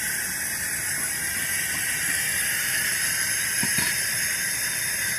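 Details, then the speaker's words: Vacuum furnace chamber vented by slowly opening the pointed air valve from about 150 torr; steady, even high-pitched hiss of air rushing in as the pressure rises: normal air inrush during vacuum venting. "So when you open it, yeah, you can hear it go up, and the pressure goes up, and you can hear the airflow."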